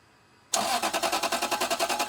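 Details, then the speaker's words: Lexus LS 430 crank-no-start; the starter spins the engine with an even, quick chugging rhythm but it never catches. The fuel pressure gauge doesn't move, with no fuel reaching the rail and no spark seen earlier from the coil. "All right, cool. So, no fuel going to the rail."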